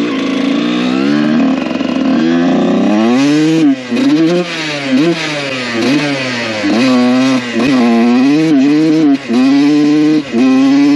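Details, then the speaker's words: 1993 Honda CR125 two-stroke dirt bike on its first ride after repair, carburetor not yet serviced: revving hard through the gears, the note stutters and drops out near the top of each pull; it runs well except under hard throttle. "I mean there's nothing wrong with it besides when you really get on it"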